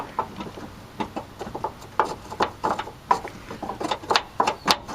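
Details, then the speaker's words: Cab mount bolt being turned: light, uneven metallic clicks as the loose captive nut shifts in its cage without spinning; it may be too loose to accept a new bolt. Loose captive nut. "you can hear it captive up there but it's loose in other words it not may be as Loose as a Goose and I might not be able to get a new bolt into that nut"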